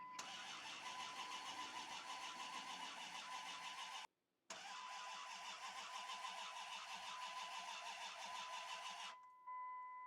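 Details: 2001 Dodge Ram crank-no-start after owner's own work: starter churns evenly but engine never fires; tach doesn't move, coolant smells bad and engine possibly overheated, cause unconfirmed.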